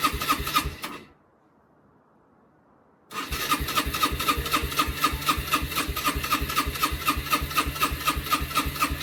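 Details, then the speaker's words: Rieju RS2 Matrix Pro 125cc four-stroke, first start attempt after over 10 years in storage, choke on and fuel reaching the carb: starter cranks with steady chuffs about four a second, pauses, cranks again, but it never fires. "After a solid month of hard work, it didn't fire up. So it's back to the diagnostic mode."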